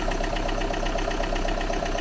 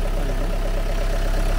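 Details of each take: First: Used car, possibly standing a long time, cold start: light, even ticking about eight per second over quiet idle; suspected hydraulic lifter or poor lubrication, not confirmed, ticking soon disappeared. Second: Used Opel after restart, earlier ticking (suspected hydraulic lifter, long standing) gone: deep, steady idle with soft even pulse and no ticking on top; engine now running well, normal idle.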